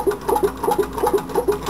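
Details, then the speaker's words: Homemade tin-can Stirling engine running about half its expected speed: light regular chuffing about five beats per second with a soft clack each cycle. Displacer not reaching top, crank throw short on displacer lobe (adjuster tube glue slipped); piston also needs widening. "should be running a lot faster faster than that actually running now"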